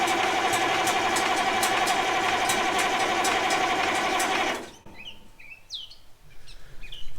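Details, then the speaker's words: 1965 Allis Chalmers TL645 loader, turbo 6-cylinder AC 3500 diesel, after 10+ years idle, with the Stanadyne pump reinstalled and injector lines loosened: slow, steady cranking for four seconds with no firing as the dry pump is starved. "yet this may take a minute all right let's see if we can pull a prime with some ether now we got fuel coming out of one of them"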